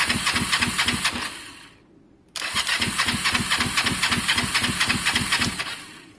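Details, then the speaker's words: Kawasaki ER5 twin cafe project, air filters refitted: quick even cranking about four beats a second, pause, cranks again, never catches; both plugs later show strong spark, owner suspects fuelling problem needing carbs off; crank no start. "something's changed guys um something's changed you can hear it's just not happy i i don't know what it is"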